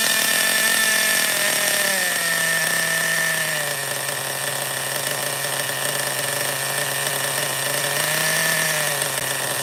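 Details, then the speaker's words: Schumacher XTR-3E nitro stadium truck on fuel with too much oil (about 16%): a high, thin drone that sags and wanders without climbing, lazy and blubbery from a rich mixture. A slight air leak is suspected, and the mixture will be leaned out. "I'll I'll lean it out a little more so this fuel is actually not the best it's like 20% uh 16% oil it's too high oil content"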